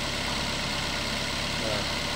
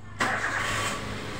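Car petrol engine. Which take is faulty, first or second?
first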